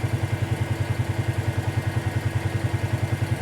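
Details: 2018 Polaris Sportsman ACE 570 after full top-end rebuild (valves, stem seals), warm idle around 199–201°F, temperature coming down with fan on: steady even single-cylinder thump about eight beats a second, fan whirring; smooth normal idle.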